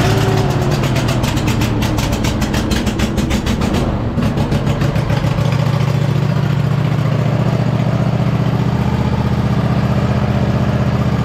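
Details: 2007 White Outdoors (MTD) CT 54 zero-turn mower, Briggs engine, sat 3-4 years, started on jumper pack and choke, moving under hydrostatic drive: steady engine drone, no whine, grind or knock from the hydros; normal drive.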